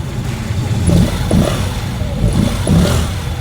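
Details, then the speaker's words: Honda Click 125 V3 scooter after checking the cam chain tensioner and valve clearance for a top-end noise: engine blipped a few times, revs rising and falling cleanly with no ticking or rattle; now runs quiet. "Ayan mga attorneys, tahimik na. Parang sintahimik ng kapitbahay mong chismosa. Oh, yan. Maandar na siya."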